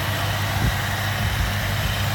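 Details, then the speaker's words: 1978 Mercury Cougar XR7 hardtop, 35,100 miles, hood open in engine bay, no leaks, hoses and gaskets replaced; smooth even low idle with steady beat, no ticks, knocks or hiss; runs and sounds like it should; normal idle. "Everything runs like it should, sounds like it should."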